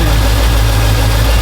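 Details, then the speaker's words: "Iron Man" truck idling after transmission reinstall; after a burnout it nearly stalled and skipped. Now a low, steady rumble with even beat and no skipped firing; sounds normal, though timing may still need a little adjustment. "Might still need to mess with the timing just a little bit, but it is running. Does sound better. Does sound normal."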